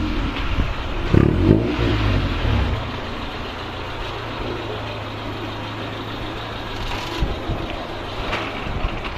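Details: Honda CRX after the Vibrant 2.25in muffler/resonator swap on the Spec-D catback (old eBay pieces found completely empty), final listen as it pulls away: deep rumble swells, then settles into a steady low drone without rasp or rattle; sounds healthy.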